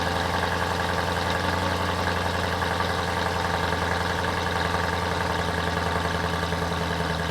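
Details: BMW M3 E92 started after over 1.5 years parked on a CTEK MXS 25 charger, last driven November 2019; catches cleanly and settles into a smooth, even idle with steady low hum, no knocks, misses or rattles, healthy.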